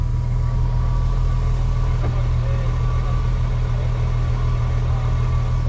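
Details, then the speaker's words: BMW N54 with swapped DCT gearbox and Mfactory single mass flywheel, idling: steady idle with dense low chatter underneath; neutral gear rattle from the gearbox, flywheel only makes a ching on startup. "it's not the the flywheel itself making the noise or it does make that ching just on star i don't think the camera picked it up it's the gearbox anyway"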